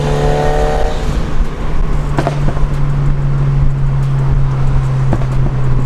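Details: Turbo Mazda MX5 with new engine mounts after a screamer pipe snapped, accelerating. A strong, steady drone under load with no misfire or rattle. Normal, healthy turbo engine under acceleration.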